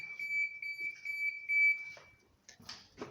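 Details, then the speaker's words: Aftermarket blind spot detection kit on a Mazda 626 GF, ignition on, left turn signal active, person approaching the car: high steady electronic beep with quick pulsing for about two seconds, then cuts off; the warning triggers normally. "I will turn left signal. You can actually hear it. So I'm coming towards the car, this one beeps and blinks."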